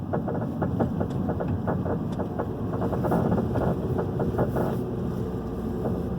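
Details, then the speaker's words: 2011 Hyundai i30 2.0 at low speed through a roundabout: rapid, uneven light knocks over road and wind noise, seemingly worse in the turn, heard only on smooth pavement and not every time. Worn stabilizer link knock. "Vocês viram que o barulho é bem aqui, pra gente estar no carro, é bem perceptível. Sem andar em pavimentação irregular, para de bem, não faz nada. É só assim, bem no pleninho."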